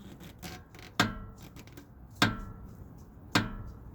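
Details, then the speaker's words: Jeep JK steering linkage, with new axle and axle ball joints already fitted: three sharp metallic clunks about a second apart as the tie rod is lifted and dropped. Worn tie rod end ball joint; drag link end also bad. "That's not supposed to take and make that sound. Okay, so what we got is we got a bad ball joint on this one right here"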